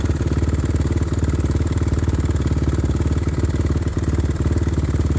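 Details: Older carbureted Suzuki RMZ 450, first start without rejetting after moving from higher elevation: fast even ticking knock over single-cylinder idle; suspected rod knock, unconfirmed, pops and dies on hard throttle.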